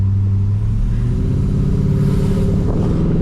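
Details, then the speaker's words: Holden VX SS Commodore V8 with fully rebuilt engine and transmission, big cam, first test drive, kick-down acceleration: deep lumpy V8 pulls hard and climbs smoothly through the revs, no knocks or misses; normal acceleration. "oh yeah do you feel like kick down yeah oh man it's so good"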